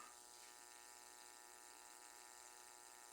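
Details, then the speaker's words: 220 V vacuum cleaner, wet inside, shorted and smoking with a burnt smell: a steady buzzing drone with a harsh, transformer-like hum under the airflow. The motor is struggling from an electrical fault. "E a fumaça tá ali e tá cheirando ruim tá cheirando queimado e tá roncando igual um transformador"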